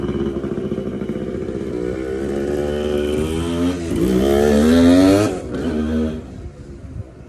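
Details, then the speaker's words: TC125 two-stroke dirt bike after a carb clean and a new fuel line with filter, on a cold day: clean crisp note climbing and falling with throttle, no knocks or misses; running healthy. "She runs like a dream now. That was great. That was great, y'all. 125 runs pretty good."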